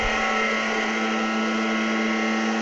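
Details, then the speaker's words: NordicTrack treadmill at 8 mph with the drive belt tension spring disconnected and the pulley not turning: extremely loud, steady whine and pitched hum from the drive motor itself; noisy drive motor, to be replaced. "and as you can hear it's Extremely Loud and of course this pulley is not turning because we disconnected the spring"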